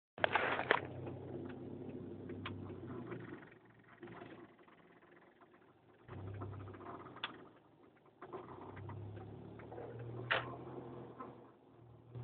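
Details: Scattered dull knocks at irregular intervals over quiet road and cabin noise, a clunk from Ksport coilover suspension; cause not yet pinned down.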